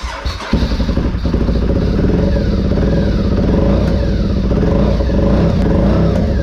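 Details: 2003 Honda RC51 SP2 V-twin after repairing rodent-chewed main and injector wiring harness: catches after a short crank, settles into a steady deep lumpy V-twin beat, no misfires or odd noises; running healthy.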